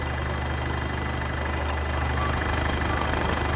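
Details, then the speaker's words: Diesel at an auction yard, about 100,000–120,000 km, coolant red, slight blow-by noted. Even diesel idle clatter at a steady pace with no misses or heavy knocks; healthy diesel at rest, no warning messages. "a little bit of blow-by it is a diesel though so it's too bad but all in all seems like a uh a nice car"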